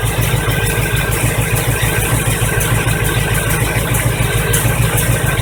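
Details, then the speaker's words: 1985 Chevy truck V8 running again after fuel pump replacement; fuel reached the filter and carburetor bowls after some cranking. Deep, steady burble with even beat, no misses or knocks: normal running. "well as you can see there is fuel in the fuel filter it took a little bit to get the fuel up there and fill up the bowls in the carburetor but it's running again"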